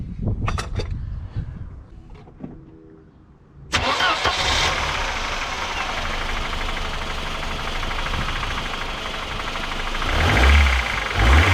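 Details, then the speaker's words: Mercedes 190E (W201), after a breakdown traced to the ignition switch, with the drive belt removed: cranks, catches and idles with a light, uneven tapping underneath; the noise persists, so it is internal to the engine, cause unknown. "yep because we still got that noise which means it's en internal engine problem which is not good"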